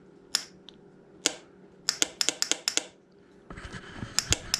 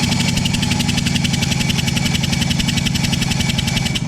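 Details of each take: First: Johnson 35hp outboard that sat 15 years, starter tested by push button: several sharp, dry clicks with no starter spin. Starter solenoid clicking, no crank. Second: 1989 Johnson 35 hp outboard, sat about 15 years, compression test while cranking: even, strong puffs with no skipping; top cylinder about 80 psi with gauge leaking; normal cranking compression.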